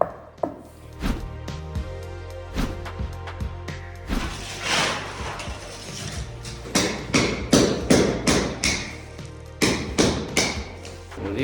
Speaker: Там где трещина Я уже 100% знаю что начинает плитка постучал постучала и плитка вся пустая там вообще пусто